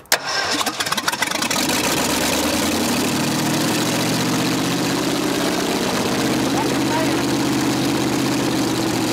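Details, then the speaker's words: Forgotten 1965 Ford F100 buried over 50 years, first start attempt with no exhaust: cranks, then catches into a loud rough unmuffled run that keeps going only while the choke is held shut by hand; choke may need adjusting. "huh i think a lot of it's a choke though it needs to be choked it ran there's no doubt"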